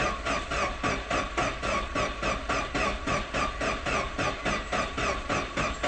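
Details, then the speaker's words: Vauxhall Corsa B that sat neglected 4-5 years, camera under car watching for fuel drips while cranking after fresh fuel poured in: even starter churn about four turns a second, never catches. Cranks but no start. "I'm gonna do is try and put the camera under here and give this a crank and we'll see if any droplets come down"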